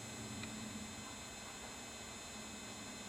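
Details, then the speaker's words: Powered amplifier after the noise fix, reassembled and switched on. Only a soft, even hiss and faint low hum, with no high-pitched whine; the later-model board had caused these units to hum. "Don't hear any whine at all. Something they did with that later model board causes these things to hum. It's not doing it now."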